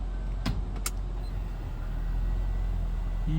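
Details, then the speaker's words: Acura MDX side mirror actuator after cleaning dried grease, regreasing with rubber-safe grease and cleaning position sensor contacts: a couple of light clicks then a smooth steady motor whir as the mirror tilts, no clicking; working normally. "So, we'll test it. Well, look at that. It's smooth now. Yep. No clicking."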